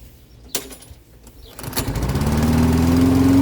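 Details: Toro 6.75 HP 149cc self-propelled mower with a Kohler engine, after bad gas and an added fuel shutoff. One pull, it catches and revs to a steady drone with no misses while cutting dandelions; normal running under load.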